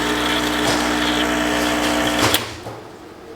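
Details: Rancilio Silvia M single-boiler espresso machine after a full service: an even buzzing pump hum holds steady about two seconds, then cuts off cleanly during a rinse flush, showing normal pump operation.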